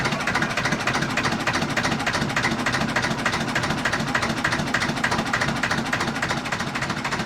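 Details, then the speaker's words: 1950s Ailsa Craig RL2 raw-water-cooled twin-cylinder narrowboat diesel just after starting: slow, even chuff at roughly 200 beats a minute, steady with no knocking. Healthy idle. "oh wow oh listen to that that is the sound of the canals"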